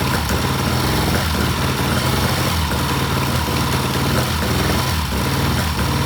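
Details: 1967 Triumph twin during timing work, dies when throttle given: uneven, lumpy idle with irregular low thumps and hesitant beat, worse than days before; rough running, cause not yet pinned down.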